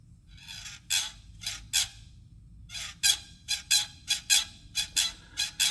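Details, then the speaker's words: 2010–2012 Toyota RAV4 4WD, 2GR-FE V6, about 93,000 miles, squeaking from the engine bay when cold; engine off, serpentine belt worked by hand: sharp uneven squeaks; tensioner suspected, water pump possible. "I bet you that the problem is in the tensioner despite the fact we don't know it could be failed water pump"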